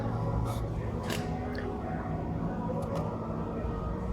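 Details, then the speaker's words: VW Touran 1.4 TSI running with a busy metallic chatter over the low rumble: a stretched timing chain slapping its guides, with the tensioner almost fully extended. "and this color gotta have a problem with the chain noise in a noisy chain nothing all right but it starts to stretching you know it gives a bad sound see"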